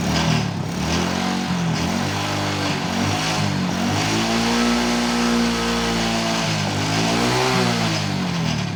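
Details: Motorcycle after repairing a stripped spark plug thread in the cylinder head without engine teardown; a snapping noise was traced to a loose exhaust clamp bolt. Engine catches immediately and settles into a steady beat, pitch rising and falling smoothly with throttle blips: normal running.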